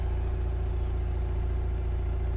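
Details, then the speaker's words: GMC motorhome generator running, likely powering one or both roof air conditioners, one a new Furrion and one original. Steady low drone at one even speed with no surging, misses or knocks. Generator running normally under load. "can hear the generator running, which means one or both of these well, that one's an original one."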